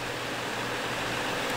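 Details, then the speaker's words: Two Gainward GTX 580 Phantom 3GB cards in SLI under full load, fans turned up from 80% to 100%, low-airflow case, very hot 32°C room, top card about 84°C; steady airy whoosh, no ticking, rattle or bearing whine, normal fan noise. "so I'm just going to turn them up to 100% for you uh just so that you can get an idea of how bad it can actually get keep in mind this is SLI it's in a low airflow case uh it's in a very very hot room okay"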